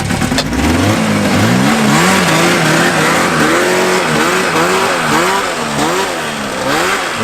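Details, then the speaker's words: Old Yamaha snowmobile revived after sitting in woods, idle turned down, secondary clutch greased: hard revving in quick bursts with lots of bark, no bite, heavy vibration shaking the hood; clutch getting hung up, internal failure suspected. "That's not great. Oh, a whole lot of bark. No bite."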